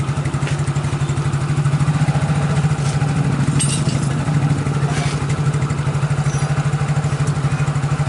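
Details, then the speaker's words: Yamaha X-Ride scooter after CVT repair for rear wheel turning without throttle and knocking: steady even idle, CVT now smooth with no noise and wheel no longer turning; worn rollers blamed. "Oke, jadi untuk bagian CVT itu udah halus dan tidak bunyi lagi seperti tadi, dan rodanya pun tidak memutar lagi seperti tadi."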